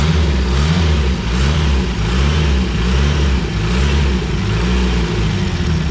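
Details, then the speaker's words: Renault 5 GT Turbo engine in an Extra van, first run after unlocking the ignition angle: uneven, lumpy low beat with wavering revs and unsettled blips; runs rough and needs tuning, leaks found after 30 seconds. "oh mate all right so it definitely needs some work but that is the most promising sound I've heard all day"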